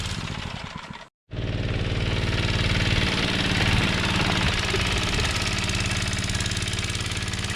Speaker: Oh, well, it would fire it up there with choke on, but it fires up.